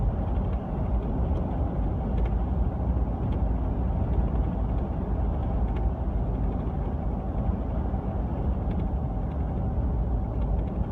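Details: 2015 Ford F150 driving, steady road rumble inside with faint scattered rattling ticks from a new LEER Bulldog bed canopy; noise absent with canopy removed, LEER's fix failed.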